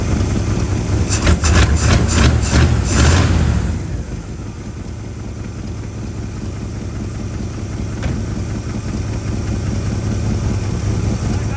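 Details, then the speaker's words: 1965 Acadian Beaumont V8 after sitting, run on fresh fuel with the idle adjusted up: it settles after a blip into a steady, even, smooth low burble with no knocks or misses. Fuel is leaking and there is no coolant, so the run is brief. "Listen to this thing purr. I mean, it's got fuel all over the place, so we can't run it too long, and there's no water going through it."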